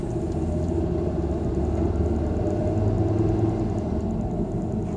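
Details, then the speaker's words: Volvo V50 test drive after rear wheel hub bearing replacement: steady low road rumble, much quieter, no growl or hum rising with speed; remaining noise is snow tire noise plus slight brake noise from bedding in. "That's much quieter. Got a little bit of brake noise, but they've just got to set up. World of difference that has made. Wow. Noise we hear now is pretty much just tire noise from the snow tires."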